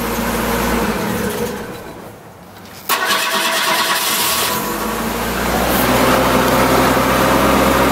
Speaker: cold start kind of not as cold as my usual cold starts we going to have to like gas it no I could have let off of that and it would have done it sooner